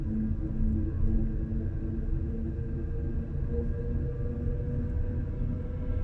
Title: Renault Zoe loud noise downhill in N